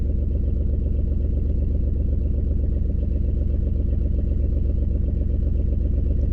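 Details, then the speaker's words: 2003 Ford Escape at low idle with an uneven, loping pulse that stumbles regularly; scan shows cylinder 4 misfiring, ignition coil suspected. No check engine light flashing, slight shake, large exhaust leak present. "So cylinder 4 is misfire. So, let's go get our phone and we'll look up and see which one is cylinder 4. See if maybe the coils bad or something."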